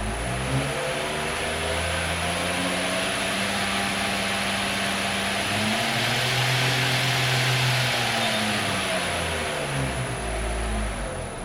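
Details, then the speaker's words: B.A. Shredder 2x72 belt grinder running on 220V in an apartment: smooth motor hum sinks and rises as the drive reverses and returns forward, no rubbing or knocking; owner says it runs smooth, like a 2JZ. Normal running. "man it run so smooth look at that look that a monster can it's running man I like it"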